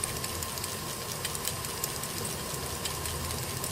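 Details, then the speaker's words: Commodore 1541 Alps floppy disk drive after cleaning and lubrication: a steady motor hum with irregular light clunks and clinks, two or three a second, while passing mechanical tests; it is working normally. "like little clunks and clinks and things there are really um but if you look you know it's progressing okay all the tests I'm doing on it fine it's just a mechanical test"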